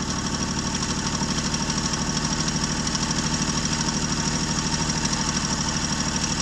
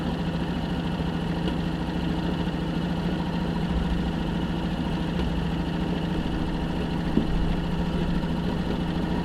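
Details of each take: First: 1965 Jeep Wagoneer, original 3.8 L 230 cu in overhead-cam engine, carbureted, running after 20 years sitting, following points and valve adjustment: steady even idle pulse, two to three beats a second, light valvetrain tick, no misfire. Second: 1965 Jeep Wagoneer, original 3.8 L 230 cu in overhead-cam engine, first start after 20 years sitting, points gapped, valves set: low, uneven idle with loose irregular beat.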